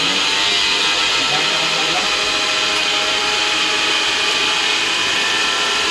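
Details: Angle grinder after its power cable was replaced (it had flashing and kept tripping the MCB and blowing fuses): a high, steady whine at constant pitch with no sputtering or cutting out; it runs normally.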